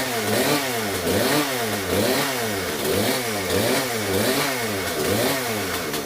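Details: Poulan P3314 chainsaw just after a full carburetor swap: two-stroke buzz rising and falling about once a second, revs hunting slightly but running strong and far better than the old carb; needs slight fine-tuning.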